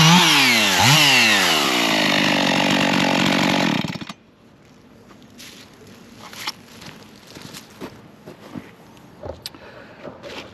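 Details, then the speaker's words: Husqvarna 55 Rancher chainsaw after carb repair, chain sharpening, new air filter and plug, cutting hickory: strong high buzz dips and recovers as chain bites, good chips; normal cutting under load. "okay what I do like to look at is both size chips and all are coming out of there it's got some good looking chips it's not just a fine sawdust so that's a good piece of uh Hickory actually so that's uh cutting well"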